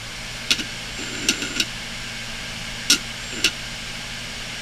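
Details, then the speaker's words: Failing desktop hard drive running with cover off, head over the disc: sharp irregular clicks, about six in five seconds, over a faint steady spin hum; crashed head scraping a destroyed platter. "now let's see what happens when we actually ATT the disc that disc is destroyed"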